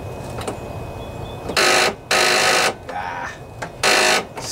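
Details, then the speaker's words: Craftsman DYS 4500 riding mower, 24 hp Briggs & Stratton Intek twin, won't start after outdoor storage, battery charged overnight: a click or two then harsh buzzy bursts, no cranking; suspected corroded, rusty positive battery cable rather than weak battery. "so it sounds like uh a weak battery but i don't think it is i think we may have another issue here one thing i did notice was that the positive battery cable here was pretty corroded pretty rusty"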